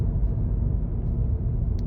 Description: Annoying bad bearing noise, especially noticeable in electric vehicles.